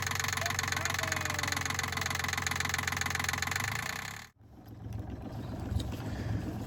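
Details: Sailboat diesel after a part replacement, before leaving Salcombe for Falmouth: steady idle clatter, a brief cut, then it catches again and settles into an even run; sounds healthy.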